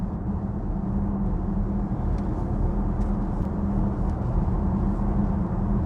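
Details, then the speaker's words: Audi Q6 e-tron quattro at cruising speed: steady low hum under road roar that occurs on rough Norwegian asphalt and is silent on smooth asphalt. Tyre/road noise is suspected. "this car has this humming noise from the road it occurs when when we have when we are on rough Norwegian asphalt not on smooth ass then it's dead quiet dead silent"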